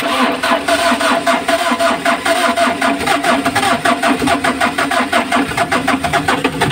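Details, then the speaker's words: Mitsubishi L300 engine, noisy right after an oil change, briefly started before teardown; harsh, rapid metallic clatter at about two beats a second; compression sounds odd, as if parts are colliding, with no compression at first; cause not yet confirmed. "So yung compression niya is iba, ang tunog, no? So kakaiba yun. Parang naguntugan."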